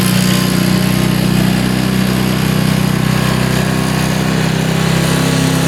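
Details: Honda HRX mower, cold first start of spring in January, choke about full, throttle midway: settles into even steady single-cylinder idle, no misses or knocks; normal cold start and idle.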